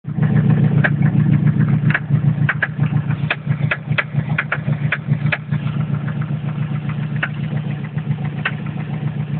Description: toyota mr2 2.0 n/a engine knock 3sge engine any help ?